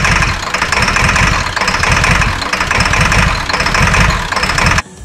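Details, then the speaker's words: 2002 Ford F350 7.3L diesel, 238K miles, first start after injector cup and o-ring replacement: a lumpy, stumbling idle with chaotic clatter. Only the driver's bank fires; the passenger injector harness has failed and that manifold stays cold. "The bad part was it was only firing on the driver's side. So it sounds like full of gobbledygook. I was hoping it would clear up, but not."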